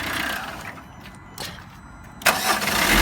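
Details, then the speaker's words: Previously non-running Combo van after repairs, starting after long cranking: short starter whir, catches at once and settles to a smooth even idle, no smoke; clean normal start. "That sounds perfect. Smooth. We've got no smoke either."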